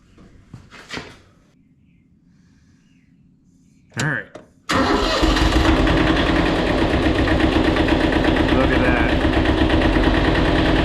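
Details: Kubota L175 two-cylinder diesel tractor, oil light on, battery charge uncertain: brief crank, then catches and settles into steady, even idle with regular clatter; starts and runs normally.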